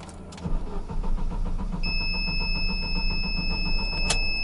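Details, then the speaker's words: Gazelle truck on LPG, gas system failed after about 100 km: starter cranks steadily about two beats a second with a warning chime, engine won't start on gas, switches to gas and stalls. "на газу даже не заводится"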